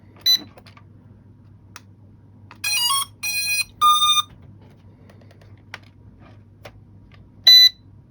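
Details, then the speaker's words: Small toy drone powering up and pairing with its controller: a few sharp chirps, three short bursts of high rising tones, then a final chirp. Link established, solid light; normal pairing sequence. "So that's linked. Still got a solid light."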